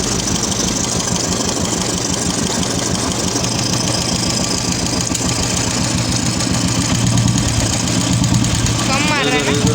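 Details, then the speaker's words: Royal Enfield Classic 350 UCE engine at idle: quick, steady ticking over the thumping idle from a hydraulic tappet starved of oil by a weak oil pump; pump and tappet to be replaced. "Oil pump week हो गया है। इसके लिए hydraulic tappet भी ख़राब हो गया है।"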